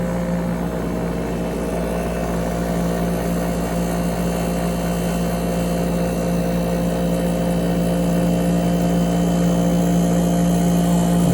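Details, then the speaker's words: 8,000 BTU through-the-wall AC, front cover off, compressor after startup; steady low hum with a slow rhythmic swell and slight pitch drift, compressor surging while settling, the rise slowing as it nearly settles. "I don't know if you could tell, but when it was slowly going back up, it wasn't going so fast, so that means that this thing is almost settled, it's just about settled down."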